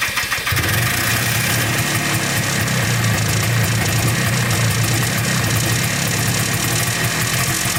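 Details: Polaris Trailblazer 250 2x4 two-stroke quad before top-end rebuild: loud buzzy idle never settling to an even beat; owner suspects low compression from burnt-out rings, runs inconsistently, won't stay running or restart.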